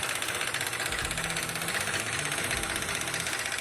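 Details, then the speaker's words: Charger petrol engine idling: steady, sharp ticking from the top end; valve cover removal found a floppy, loose timing chain tensioner. Timing chain tensioner ticking. "Yeah, it's a flopper. All right. You know what, Dave? It sounds exactly like the noise we heard. That ticking."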